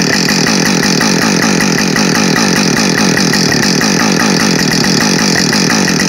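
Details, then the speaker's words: Husqvarna 562XP Mark II chainsaw, first-ever run, warming up before timed cuts: high even two-stroke scream at high revs, no surging or cutting out; normal running, found its tune quickly. "so it seemed to find its tune really quickly um not that the Mark 1 was bad it really wasn't at all it tuned up really nice and quick as well"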